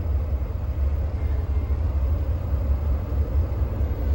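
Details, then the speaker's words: Cold idle of a Caterpillar 3126B diesel, 92,000 miles, in a 2000 Holiday Rambler Endeavor RV, after oil pump and bearing replacement. About 45°F out; oil pressure 64 psi cold versus 50–55 before. Deep steady rumble, even beat, no knocks. "Yeah, it sounds great. There is absolutely nothing to complain about in that sound. Sound of cat power."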